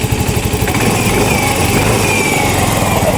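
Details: Yamaha Mio i 125 scooter engine revved: uneven stumbling misfire on an over-rich mixture, smoky; hard starting, O2 sensor voltage not fluctuating, TPS out of calibration, high fuel pump pressure suspected.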